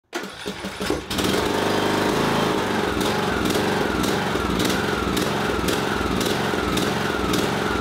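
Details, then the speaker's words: Briggs & Stratton 17.5 HP mower engine catches and surges, revs rising and falling in a restless pulse, from a clogged carburetor pilot jet. "yep I'd say that thing is surging its head off in this video I'm going to address this very problem with a brisen Stratton 17 1 12 horsepower engine it's actually somewhat of a common problem with these"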